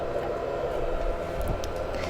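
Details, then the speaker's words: Amiga 4000 booting: steady hum with mid-pitched whir from drive and fan spinning up, no scraping or clicking; sounds healthy, normal boot. "let us uh see this thing boot up and see what happens that sounds healthy it sounds very healthy"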